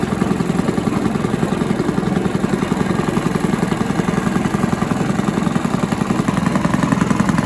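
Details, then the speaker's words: Old Barford cement mixer with a Villiers 10 petrol single-cylinder engine, running at a steady, even putter with no misses. Compression is not excellent, and fuel runs straight through even with the tap off: normal running. "oh that's running that's good that's the stars you can hear that running maybe one of the easiest engines i've ever come across"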